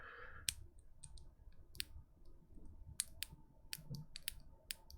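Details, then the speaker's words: Gazzew Boba U4T/LT long-pole switch: sharp, irregular ticks as the held-down stem is wiggled side to side, caused by a plastic mold bump in the housing's stem hole; this does not occur in normal typing. "so that click that you're hearing is the result of me holding it down and then moving the stem around"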